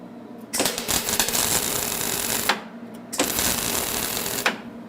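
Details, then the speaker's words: HTP MIG 130 welder on its lowest heat setting (1), wire speed retuned: two short bursts with an even crackling "sizzling bacon" sound, wire speed matched, though the welds sit on top of the metal from too little arc power. "okay that sounds real good there's our sizzling bacon again"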